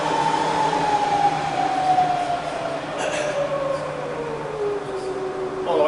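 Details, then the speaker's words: Bridgeport vari-speed milling machine in low range, spindle run down to the bottom at about 70–80 RPM; smooth gear whine gliding steadily down in pitch, no knocks or grinding, drive healthy. "All the way to the bottom and low. It's about 70-80 RPM."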